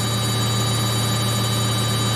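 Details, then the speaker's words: Samsung 8kg Eco Bubble front-load washer, spinning at 1200 RPM with 2 minutes left; smooth steady hum and whir, no thumping or rattling: stable, smooth, healthy. "It's so stable, so smooth, and very fast. Remember, we've already done the rings, the 4 rings. Now we're just spinning, and this it's doing at 1200 RPM, so fast."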